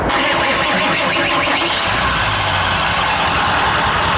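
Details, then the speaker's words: Truck whose turbo was known to be failing, oil everywhere, started after it blew: engine runs rough and uneven with a harsh hissing roar over the idle; failed turbocharger. "Sounds like a complete shit, so I just need to park it and then get it towed and then fix it later with Mike."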